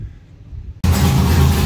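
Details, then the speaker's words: Drift car started after sitting a long while: after a quiet start the engine catches and settles into a strong, even low rumble, no knocks or misses; sounds like it's firing on all cylinders. "haven't heard that sweet sound in a hot minute sounds like she's firing on all late"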